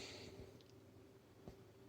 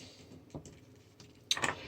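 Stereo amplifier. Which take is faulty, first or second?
first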